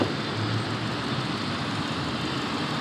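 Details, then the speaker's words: 22-year-old Lincoln Town Car Signature after new throttle position sensor, MAF, plugs, wires, coil pack and belts; idle so soft and even the engine can't be felt or heard, no roughness or hunting: normal idle. "This car, you can't tell it's running. It feels like it's"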